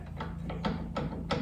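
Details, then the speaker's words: 2006 Harley-Davidson Softail Springer with about 30,000 miles, front wheel off, front end rocked by hand: loose hollow clunks; neck bearing feels okay; badly worn fork bushing. "can you hear that that bushing is completely completely worn out now the neck bearing feels okay"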